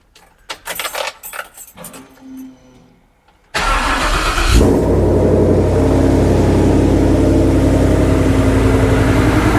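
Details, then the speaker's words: Ford Ranger with custom fuel cell and new in-tank Holley Sniper EFI pump replacing noisy external pump, first start after cycling key: handling noise, cranks and catches into a steady, even idle with no pump whine, sounds healthy. "Definitely way better. You can't hear the fuel pump running. That's absolutely a plus."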